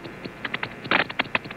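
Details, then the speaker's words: Timex ladies waterproof watch after running in a dishwasher, heard through a sensitive amplifying microphone: crisp, even ticks about five or six per second; still running normally. "i have here a super sensitive microphone that will amplify the normally light ticking of this watch so you can hear it running is it coming through"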